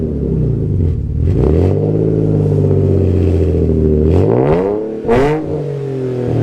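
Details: Alfa GTV 3.0 V6 first started in 18 months after refitting Wizard stainless downpipes and a Cybox stainless cat-back with no cat and largest silencer deleted. Slightly warmed. A deep, even rumble climbs and drops cleanly on a few blips, no misfire or rattle: healthy.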